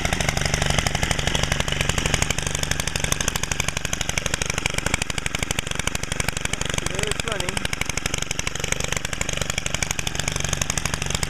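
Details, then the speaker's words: Stihl FS90R gas trimmer cold start after carburetor work, muffler screen removed and idle speed lowered: steady, even buzzing idle with a crisp, louder, meaner exhaust note, no hunting or misfire; starts first pull, normal idle. "sounds a little louder and meaner too at the same time. Cool. But at least I know it starts first pull every time."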